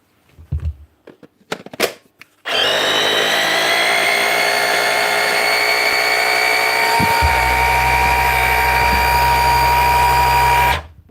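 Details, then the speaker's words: Bosch hammer tested after repair and regreasing: spins up and holds a steady, even whine for about eight seconds with no rattles or grinding; runs smooth and healthy, fixed. "that grease get [Applause] through that should be her ready at the hammer spot on one fixed"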